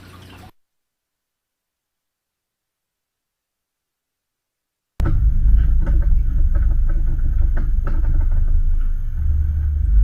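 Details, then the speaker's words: Rear-facing horse trailer on the road: after a short gap, steady low road rumble with no rattles or bangs; much quieter than the two previous trailers, no noise problem. "so the problem with this trailer is that there's no noise which is good so it's actually not really a problem this trailer is the best trailer only because look it looks brand new and it sounds much quieter than the last two"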